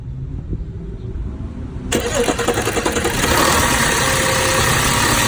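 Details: 2006 Audi A6, rough idle noticed two days ago along with power loss at low speeds: cranks, catches and settles into slightly lumpy uneven idle; owner suspects PCV valve, unconfirmed.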